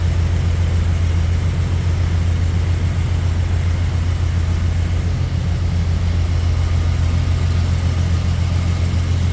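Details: 1971 Jaguar E-Type V12 with fuel injection, first cranking after a two-year rebuild with the throttle body unadjusted; deep idle with an uneven pulse because three injectors were not connected. It ran smoothly once they were connected.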